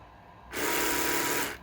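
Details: Braun Oral-B electric toothbrush after battery replacement, now lasting about 1.5–2 weeks per charge; pressure-indicator wires still broken: even, high buzzing whir starts cleanly, holds about a second, stops; motor running normally.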